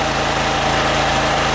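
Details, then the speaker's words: OKAY 2.5 kW max / 2.2 kW rated inverter generator powering a heater on first setting, about 1000 W load: smooth, even engine note with no knocks or surging; load accepted normally, operation changed slightly. Normal running under load. "the generator perceived the load normally, the operation has changed a little, it perceives 1000 W,"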